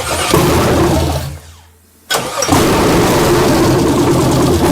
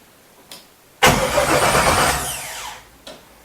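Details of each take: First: First start of a 1967 Chevelle with LS swap, electric injectors, fuel supply borrowed from a lawnmower: cranks, long delay, then catches and settles into a steady, even, low-rumbling idle; normal start. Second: 1967 Chevelle LS-swap project, first start attempt, battery possibly weak: starter spins engine briskly under two seconds, no firing; cranks but won't start, no fuel system rigged yet.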